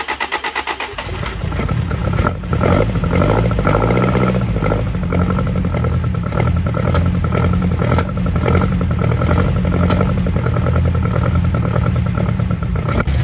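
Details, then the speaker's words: 1971 Toyota Celica RA20 with 18RG engine on twin Weber 40 DCOE sidedraft carbs, electronic ignition, new cap, rotor, plugs and wires, electric fuel pump, long stored: catches into a lumpy idle with occasional sharp pops spitting back through the carbs. "Okay, I think I got these carbs tuned pretty decently. They still spit back a little bit, but I'd like to get the temperature gauge hooked up because we got no temperature inside."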